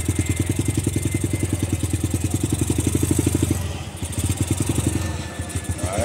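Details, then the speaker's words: Honda Grom-type bike just fitted with a Nibbi PE22 carburetor and KL-48 air filter, stock settings, needle in middle, idle screw and throttle cable not yet adjusted: single thumps steadily, then stumbles and sags toward stalling; won't hold idle. "adjusted the throttle or the cable or nothing like that [Music] she's not idling"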